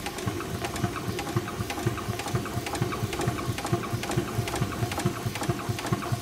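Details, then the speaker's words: 4.5-inch scale model showman's traction engine in steam, first run of the year, low steam pressure: steady chuffing about two per second with crisp clicks; earlier forward-gear squeak (possibly cylinder rust) stopped once lubricator oil circulated, now running sweetly. "and in no time at all it was running quite sweetly"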